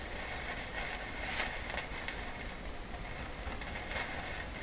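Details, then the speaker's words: GE 913-D five-tube AA5 clock radio powered up through a bulb limiter at about 107 volts: constant soft hiss with random sharp crackles and pops, suspected silver mica disease. "well that sounds like uh Mica problems or a silver Mica disease very much so silver Mica disease is a very very particular type of failure in a radio like this"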